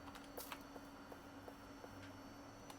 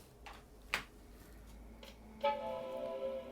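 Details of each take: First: Macintosh Color Classic II analog board with leaking capacitors, powered with a known-good logic board: faint quick flip-flip clicks about three a second; power supply cycling on and off, not booting. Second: Macintosh Color Classic II from Japan after an analog board recap, logic board not yet recapped: one clear, bright startup chime at power-on, normal.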